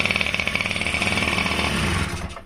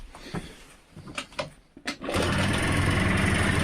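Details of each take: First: Honda Dio Fit AF27 two-stroke scooter that wouldn't start, fuel poured in with hose off carb: rapid buzzy beat about twenty a second runs two seconds then dies; fuel pump valves were stuck inside, now delivery resumes. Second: Honda Dio Fit AF27 two-stroke scooter that would not start, after carburetor cleaned and blown out, fuel feed restored and enrichener (choke) wires resoldered; a few rough catches, then fires and holds a steady even idle; repaired, runs fine.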